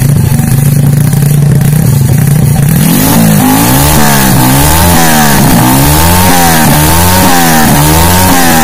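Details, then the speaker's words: Freshly built semi-racing Honda C-series motorcycle engine (Jupiter piston, BRT T1 camshaft, double-row ball bearings, stock carburetor, ignition advanced 15°) in a borrowed Astrea: steady idle then sharp, clean, responsive throttle blips; normal running and revving. "Oke jadi seperti itu Sampai semua respon gasnya itu sangat responsif pengapiannya saya maju kalimat 15° dan mesin ini enak sekali"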